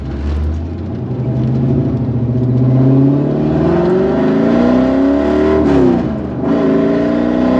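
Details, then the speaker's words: 1990 Chevrolet Corvette 6-speed V8 with upgrades, wrapped headers and likely a custom exhaust, recently driven a couple hundred miles without issues: loud, throaty revs climbing smoothly and dropping back cleanly; idles relatively well, healthy. "It's not real lumpy. It idles relatively well. Um, for having upgrades."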